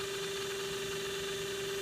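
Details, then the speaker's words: Mikron TH-5104 thermal imaging camera (about 1996): steady mid-pitched hum with fine buzzy hiss from the scan mirror oscillating at high speed on a torsion bar, the main noise source; felt vibrating by touch, normal and unavoidable. "so here's that sensor so this this right here is what's making the most noise but there's really nothing you can do about it you know you yeah touch it you feel it vibrate"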